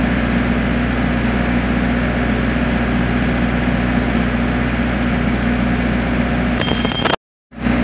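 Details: Generator set (diesel) running normally after a manual start: a steady, unwavering drone that holds speed without hunting or dropping off. Earlier it had shut down on a low oil pressure alarm and the battery was suspected and checked.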